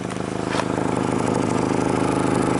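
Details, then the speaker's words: Rusty 2003 VW Jetta with an intermittent stall and no-start when the driver's door is opened, at idle. A sharp, rapid puffing chuff at each firing pulse; a sizable exhaust leak somewhere. "Also, it seems to have a sizable exhaust leak somewhere."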